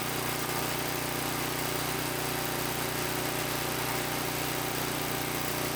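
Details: Small single-cylinder tiller engine idling in neutral after about 20 years sitting, once fuel was added; steady, even putter with no knocks, misses or surging: normal idle.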